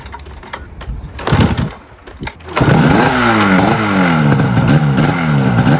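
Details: Polaris snowmobile two-stroke, first start after full overhaul, compression about 9 per cylinder: starter pull catches and settles into a crisp, even buzz with a few throttle blips; runs clean, normal running.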